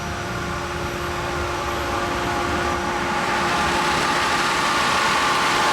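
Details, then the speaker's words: Natural-gas-fired grain bin dryer drying soybeans, not cycling: a steady loud roar with a high-pitched fan whir over a low rumble from the natural gas burner. Normal grain dryer operation. "That roar you hear 2 things there. You hear the high-pitched whir, that's the fan, and there's a rumble underneath. That's the natural gas burner."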